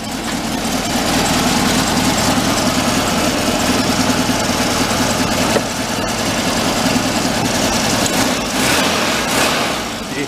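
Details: 1959 VW Type 2 truck, air-cooled flat-four, after sitting a year in a museum and being worked on; steady even running with busy clatter and wind noise, immediate throttle response, no stumble; sounds healthy.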